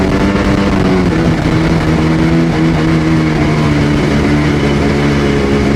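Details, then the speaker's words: Sea-Doo GTX DI 951 two-stroke rebuilt with new parts, test under load on fuel of unknown age: loud drone with ragged stumbling note, skipping right at 4200 rpm as RAVE valves open, still reaching full rpm. "Top end is good, but it's skipping right at 4200. Right when the raves go to open, it had a weird hose on there, and I don't know if there's too much expansion in that hose."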